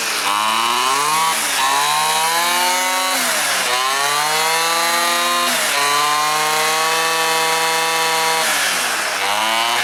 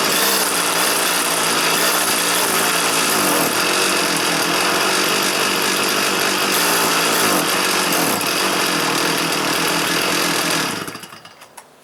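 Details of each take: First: Stihl FS 400 professional brushcutter that would not start: spark present, plug dry, fuel not reaching the chamber, blamed on the petrol. After the fix it revs cleanly from idle to full and back, smooth and even: normal running. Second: Stihl FS 400 brushcutter, started indoors on choke: buzzes at a flat, steady high note that won't rev up, then cuts out; inlet needle stuck from old fuel.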